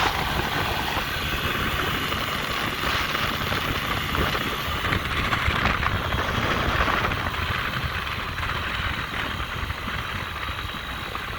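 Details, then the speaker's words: 50cc two-stroke scooter after a low-compression fix with a used cylinder and piston with rings (reportedly about 3,800 miles) and a retuned carburetor. Stopped after a ride, it idles perfectly: an even, buzzy idle with no misses or surging. Normal idle. "if i stop it's idling perfectly you know so it looks like it worked"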